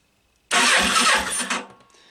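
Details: Yamaha Virago XV500 cafe racer that ran well last week, with spark confirmed on both cylinders and one plug found wet and cleaned: a short starter burst with a couple of soft pulses, and the engine never catches.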